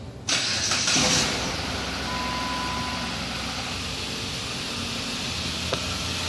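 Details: First start of a newly installed engine after cam/crank relearn, cold, belts off, no coolant but oil filled; brief crank, catches cleanly and settles into a steady, even idle; healthy start.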